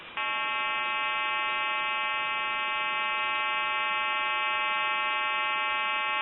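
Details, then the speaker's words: Stromberg Carlson 2-1553 telephone under test, calling a recorded time-and-temperature line: a steady flat buzzing hum over the thin line audio, from the far-end recording equipment, not the phone. "d so you'll hear the recording start and then you'll hear a hum and then the recording will continue that's on there and has nothing to do with what we're doing"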